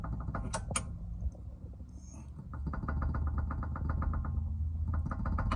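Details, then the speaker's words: 2014–2020 Jeep Compass: quick run of light clunks over low engine idle, the well-known clunking noise caused by play/slack in a ball joint worn from miles or wear; replacing the ball joint solves it. "There's a lot of slack, so therefore it clunks. You can hear, you can see the slack. That's the famous clunking noise, guys."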